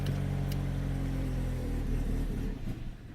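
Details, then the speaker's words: 2013 Kia Cerato 1.8 automatic with a no-start fault, running on a bypassed fuel pump: steady idle, then it dies within a second when the pump is unplugged. The pump works; the control signal through the EMS and relay is suspected. "cuts out so we know that the fuel pump actually works and by bypassing it then we solve that problem"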